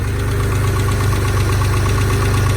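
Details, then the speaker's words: Dodge Stealth at idle: fast, light, even ticking at engine speed over a steady idle, intermittent; owner suspects bad lash adjusters, not confirmed, and plans to fit new big-bore lash adjusters. "so one of them is I've got really really bad lasha justice in this at least I'm pretty sure that's what it is let me start it up and see if I can show you that"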